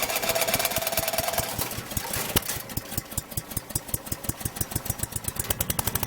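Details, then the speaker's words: Troy-Bilt chipper shredder model 24A-414B711 test run after a new carburetor fuel line fitting, an oil change and recoil oiling; quick, sharp firing pulses settle to a steady pace after an early surge, with centrifugal blades that clank at idle. Running cleanly. "all right nolleke sounds good that clanging has idles down it's the type of shredding blade it uses there's a name for it and forget what it is but it's actually centrifugal so it comes out at high rpms and then as it idles down here clanking in"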